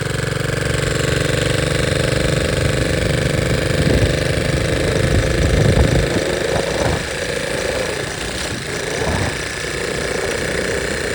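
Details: 1961 Honda 50 Super Cub 50cc single, engine rebuilt from parts in a crate, no battery, electrics unfinished, carburetor due for replacement: steady, even putter around four pulses a second, no knocks or rattles; sounds healthy and smooth.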